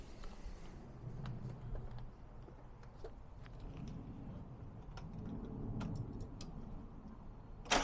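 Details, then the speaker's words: Mazda MX-5 1.8 VVT with new Jenvey ITBs, base map on ME442 ECU, first start, idle raised as no idle control valve fitted, throttle bodies unbalanced: cranks, catches, settles to steady slightly fast idle; clean start. "i've put the idle speed up a little bit because i haven't got an idle speed control valve at the moment"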